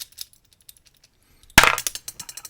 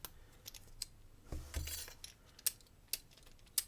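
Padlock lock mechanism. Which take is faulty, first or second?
first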